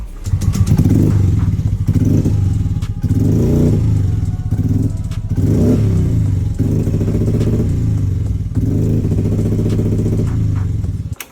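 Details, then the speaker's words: Yamaha Mio Gear scooter before repair, with hard starting and error code; surges and sags under throttle, hesitating and bogging, later traced to dirty throttle body and rat-chewed, pinched wiring. "Before palyo, humahagok at namay ba ang motor mo?"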